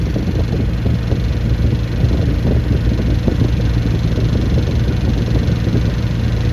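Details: Fully rebuilt Triumph Spitfire 1500 engine (flat-top pistons, 270 cam, 9.5:1, compression 185–195, oil 75/50 psi), warmed to about 160° on a 40–45°F day: deep, steady rumble with no knocks or ticks, with fuel pump noise audible. Normal running.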